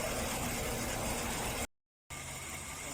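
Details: Chevy Tahoe/Suburban V8 with code P0300, misfire on cylinder 6: rough, uneven idle with irregular stumble in the exhaust beat; engine misfire at idle.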